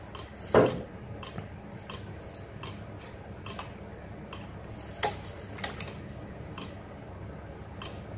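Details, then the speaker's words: Yamaha YZF-R6 carbureted bike after carb service, ignition cycled on and off: faint, fairly regular fuel pump priming clicks, with a few louder handling knocks; the pump should stop once primed unless fuel leaks. "eventually hear that fuel pump clicking the pump should stop unless fuel is leaking out somewhere in which case it won't still clicking"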